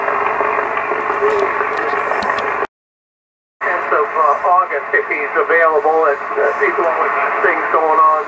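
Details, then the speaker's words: Yaesu FTDX 560 on 40 meters with antenna connected, preselector peaking the noise: a steady band hiss, a short dropout, then a sideband voice comes through clearly; clarifier works, calibrator doesn't. "That the clarifier works, and it does. I can barely hear the other station she's talking to, but that is working."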